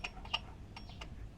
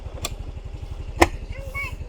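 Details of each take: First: Mio Soul i 125 (GY6) scooter with hard starting when hot: sharp, irregular metal-on-metal ticks over a quiet engine, seemingly from the tensioner area not the magneto; cause unconfirmed, valve clearance adjustment and CVT check planned. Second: Yamaha Mio Soul i 125 scooter warming up after valve clearance adjustment, complaint hard starting when hot and a metal-on-metal noise near the tensioner: soft, even idle putters steadily after handling thumps, no top-end tapping; engine now quieter.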